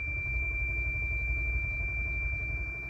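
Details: 2008 Toyota Land Cruiser with 2UR petrol engine that ran out of fuel, was refilled, then towed in: a steady high-pitched warning beep over a healthy cranking rumble. The engine won't catch, and the beep began after the tow.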